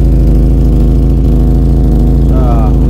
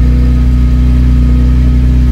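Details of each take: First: Vauxhall Cavalier Mk2 at idle: loud deep raspy drone with coarse pulsing rumble, far too open; rear silencer (back box) full of holes and blowing badly, worsened with use. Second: Vauxhall Cavalier Mk2 at idle after temporary weld repair of the exhaust (small pinhole remaining): steady low even drone, no puffing or ticking at joints, runs smoothly; normal idle.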